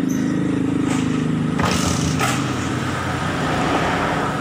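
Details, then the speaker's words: 2003 Suzuki Smash 110 motorcycle, kick-started, catches and runs rough, dry and uneven at low revs, stumbling on throttle; weak ignition spark from low 12 V supply to the CDI and very low charging makes it hard to start. "Ini susah dinyalakan karena pengapiannya kecil ya. Jadi untuk berbet di kelistrikan itu mirip seperti telat bensin, cuma dia agak kering suaranya ya."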